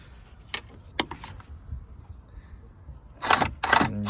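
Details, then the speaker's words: 2003-2007 Smart Fortwo 450 gearbox out of the car during diagnostic gearbox adaptation with clutch actuator and gear select motor: sharp clicks then short whirring motor bursts in quick succession; adaptation reported successful, actuators working normally. "hear it all right you can't exactly see anything working but you can hear the motors activating"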